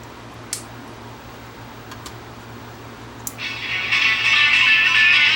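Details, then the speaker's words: Vintage Strauss 5-transistor AM pocket radio on a 9 V battery, after replacing a 1 µF capacitor: faint hum and clicks, then a station fades in clearly; that one cap fixed reception. "but that one fixed it that one cap was all that was preventing this thing from receiving anything"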